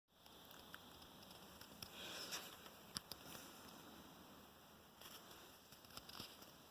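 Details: Harman Kardon Go + Play wireless speaker, new: faint steady high hiss with a few soft taps when no music is playing or paused; speaker hisses at idle, cause not pinned down.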